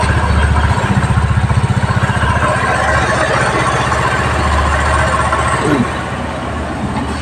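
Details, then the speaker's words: Rusi single-cylinder motorcycle just after tune-up and oil change: steady, even putter of about three pulses a second at idle, no knocks or rattles; smooth, quiet idle. "Yan po, tahimik po ang pagkaka-tune up. Ang ganda po ng pagkaka-tune up po. Tahimik na tahimik."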